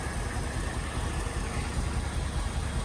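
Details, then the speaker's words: 1974 Ford Bronco 302 V8, first start in years: low, uneven idle with irregular loping firing pulses, no smoke; owner suspects it needs work, maybe spark plugs; rough idle. "well I hope you can hear me over all this racket but it's running not perfectly but it's also not smoking"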